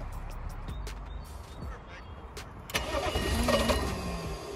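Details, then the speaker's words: Old BMW diesel that stalled while driving and wouldn't restart. Starter cranks steadily at three to four beats a second but it never catches, with a quarter tank showing. No fuel is reaching the engine because of a broken fuel shutoff valve wire. "мотор крутит [музыка] заводит судя по всему не поступает топливо не поступает топливо"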